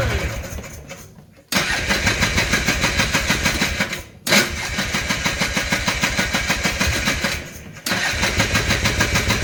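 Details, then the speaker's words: 2000 Polaris Trail Boss 250 being revived after carburetor removal and refit; starter churns in even bursts about three a second with pauses but never catches; owner suspects fuel isn't reaching the carburetor. "I don't I don't think our gas is getting down here no let's see if that makes a difference"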